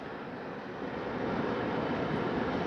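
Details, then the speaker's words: AirWerx 55 (BaseAire) crawlspace dehumidifier just after startup, humidistat at about 66%: steady, quiet, airy hum with the compressor droning underneath and no knocks or rattles, i.e. normal running. "the overall unit in my opinion is very quiet it seems to be running very quiet I can hear the compressor humming along doing its job job"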